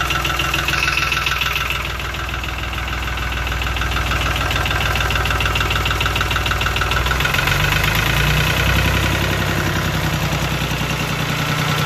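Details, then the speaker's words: Lister ST3 three-cylinder air-cooled diesel on an old sewer jetter, first start without using the decompression: even, rhythmic clatter at about three and a half beats a second, holding steady, a healthy normal idle. "well there you go you can't ask for any better than that little 400 scrap yard deal cool little three cylinder air cooled diesel engine"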